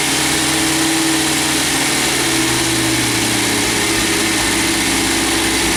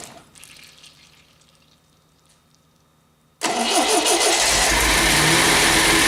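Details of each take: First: MGB GT first start after head gasket replacement, valves ground and electronic ignition fitted: engine catches and settles into a steady, even idle with no misses or knocks; a large coolant leak is found underneath. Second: MGB GT first start attempt after head gasket replacement, valves ground and electronic ignition fitted: steady rhythmic cranking near four beats a second that never fires; engine turns over but won't start, cause not confirmed.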